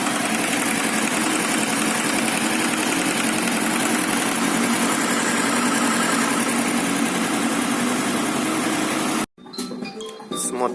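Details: Honda VFR800 VTEC V4 motorcycle at fast idle: busy uneven metallic clatter in cylinder head; worn stretched cam chain, cams misaligned at rear cylinder timing marks; timing chain replacement, clutch also burnt.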